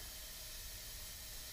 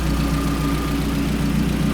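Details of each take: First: Mazdaspeed 3 with P0300 and low compression on cylinder 3, under a leakdown test: steady loud hiss of air escaping out the intake, a leaking intake valve seat. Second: Mazdaspeed 3 after cylinder head rebuild with aftermarket Kelford stiffer valve springs and camshafts: steady idle with even light ticking nearly four a second, louder valvetrain from the stiffer springs, common and harmless.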